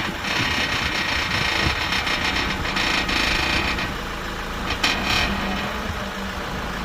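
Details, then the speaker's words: Honda Accord (CU) front suspension, engine idling, steering turned while stationary: short high creaks, owner suspects a worn lower ball joint (would be third replaced on this side); lower strut bushes also not yet replaced. "I really hope it's not another lower ball joint cuz now that it would be the third one that I've replaced on this side"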